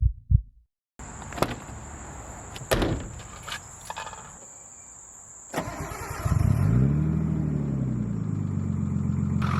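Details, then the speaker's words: 1989 Nissan Skyline, engine rebuilt 5 months ago with forged internals and ARP head studs but the original 36-year-old lifters reused: cranks, catches, flares, then settles to idle with a fast, light lifter tick. "She has a lifter tick. I reused the same 36-y old lifters that I did."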